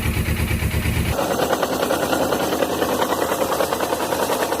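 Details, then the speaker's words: Suzuki GS500 twin whose starter had been slipping on the gear: catches after a brief low throb, then idles with a busy metallic clatter; commenters suspect the cam chain tensioner or magneto-side gear, not confirmed. "esse barulho tô ouvindo as pessoas comentarem tensor da corrente de comando ou na engrenagem aqui que fica aqui na no Magneto"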